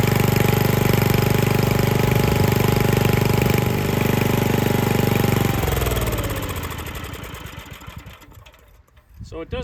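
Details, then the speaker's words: 1959-ish David Bradley Suburban with swapped-in engine, replacement Chinese carburetor, no adjustable throttle speed. Fast, fairly even single-cylinder patter holds high about five seconds then winds down; idles high, slightly rough but runs pretty good. "run perfect it's uh it's got a few little odd things but it runs pretty good now this motor doesn't have adjustable throttle speed"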